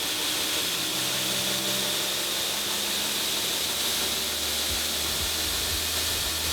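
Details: Newly installed 2x72 belt grinder on its test run, speed stepped up to 30 of 50 on the controller (60% speed): steady even hiss and motor hum with no knocking or scraping; runs smoothly.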